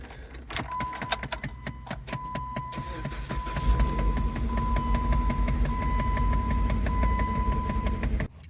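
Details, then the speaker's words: Engine started after owner fitted new spark plugs; owner thinks one cylinder was not working and dragging the engine, not the alternator. Keys and starter, then it catches and idles with an uneven, lumpy pulse; rough running, likely misfire. "И я думаю, проблема не с генератором. Как я в начале сказал, что с генератором. Скорее всего, просто один цилиндр не работает, и он тянет за собой."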